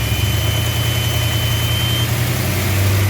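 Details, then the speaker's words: Dart V8 with Thermoquad carburetor at light part throttle: thin high whistle over the rumble that cuts out past a certain point; sounds like sucking through carburetor top; suspected vacuum leak at the primary throttle shaft. "you know it only does it when you hit the throttle and it sounds like it's just sucking right out through the top of carburetor"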